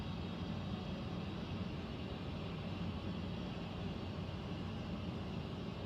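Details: Central air unit heard in the bedroom, seemingly above the closet, owner also wondering about a leak: steady, deep rumbling roar holding constant throughout. Abnormal air handler noise, cause unknown.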